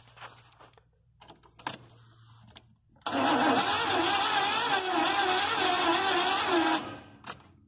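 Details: 1983 Chevy van: starter spins the engine steadily for about four seconds but it never fires; no start, owner suspects a failed ignition coil after checking spark with a plug on the wire; timing marks lined up.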